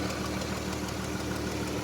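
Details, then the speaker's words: Dodge Durango Pentastar V6: fast, even top-end tick over a steady idle, following engine speed, seemingly from the left (driver's) side; worn lifter suspected. "We got the infamous Pentastar tick we're gonna go ahead and take a look at today. Sound like it's coming from the left side, driver's"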